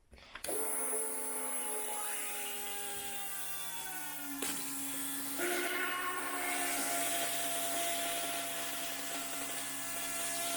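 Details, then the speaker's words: 2002 6.0 L LS drive-by-cable engine during prep, plugs off, fuel pump run alone for a leak check: steady electric whine with a low hum, pitch easing then holding as pressure builds and fuel flows through the crossover tube; no leaks, normal. "I can hear the fuel going through the crossover tube. Don't see any. Check the other side. No leaks here."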